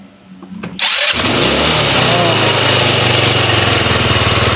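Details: Rusi Flair carbureted GY6-type scooter after repeated cranking lets it draw fuel, following fuel starvation despite a three-bar fuel gauge: cranks briefly, fires and settles into a steady, even idle; normal start and idle.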